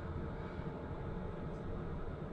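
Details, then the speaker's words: Cheap Chinese diesel heater installed in a 14ft Jayco Journey Outback caravan, fuel pump under the bed, after 12 minutes running at 62°C outlet, winding down: soft steady low hum, even airflow, no ticking or surging, running normally. "fuel pumps pretty much right below this bed area here it's and it's still running and basically the um the noise is next to nothing so you can safely have that on all night"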